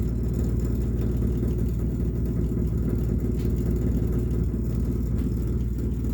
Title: Rumbling noise again